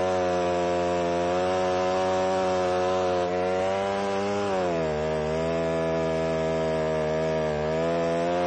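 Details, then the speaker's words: Alpine Magnum trenching attachment cutting a trench in passes, now 8–10 in deep: steady engine drone drops in pitch midway and stays lower as the cutter digs; engine bogging under load. "if this happens to be a little bit on the wet side and so you can hear the motor bogging down a little bit"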